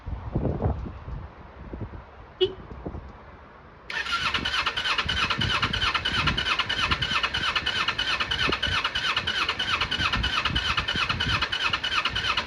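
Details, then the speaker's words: 1995 Kawasaki Eliminator EL 250, laid up for years, with fresh fuel just run through the carbs, fires after a pause and runs on choke with an uneven, lumpy beat around three pulses a second, not revving cleanly; owner suspects it wants new plugs. "Probably wants plugs really. Normally just choking, no revs."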